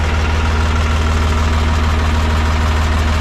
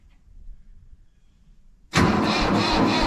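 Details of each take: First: Mahindra 3525 diesel tractor at 18-19°F, after four or five minutes running following a cold start with booster pack; steady, even diesel chug at idle with regular beat and no misses: smoothed-out normal idle. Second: Mahindra 3525 tractor diesel at 18–19°F, unstarted about 1.5 months, low battery, on a booster pack: near silence, then it fires abruptly and holds a loud steady clatter. Hard cold start.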